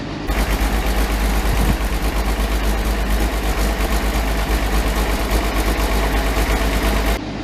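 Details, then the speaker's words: Combine with 4,288 hours, winter start with the clutch in: a heavy diesel catches after a brief crank and settles into a deep, steady idle around three beats a second; a healthy start. "That was nice. That was a nice sound. We're just going to let it run here for a bit."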